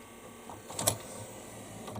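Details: Memorex CD 5400 CD player, top off, after regluing tray pin and trimming plastic slide: small motor whirr with sharp snap, tray still catching and hesitating when eject is pressed; CD tray jamming on eject.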